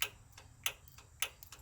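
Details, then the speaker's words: 1967 VW Split Window Bus (Kombi) under restoration, solenoid and electric choke powered from the ignition coil, battery connected: crisp clicks, three strong with lighter taps between, over a quiet hum; idle cutoff solenoid pulling in normally. "the solenoid is clicking properly so I know that it's being pulled back"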